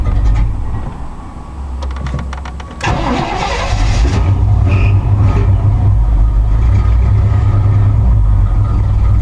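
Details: 1986 Chevrolet K5 Blazer started after sitting about two weeks: long cranking of nearly three seconds before it catches, then a lumpy, uneven idle with missing beats. It is running on only four cylinders, so a hard start with misfire.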